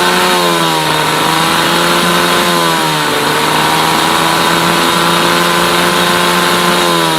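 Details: Mercury 8HP two-stroke outboard, sat unused for an unknown time, running in a water tub on its first test start after carb cleaner and gear shifts; a steady, high, buzzy drone with only slight wavering and no knocks or misfires; normal running.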